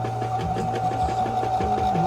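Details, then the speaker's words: Brother sewing machine running tight: steady motor hum with fast repeating chatter as the lower shaft turns with its bushing spinning along, which should stay fixed; this binds and stops the machine, fix is dismantling and freeing the shaft. "This shaft should be turning, but not the actually pushing. As you could hear, see how that bushing is turning together with it? So when I make it tight, it will stop the machine right away."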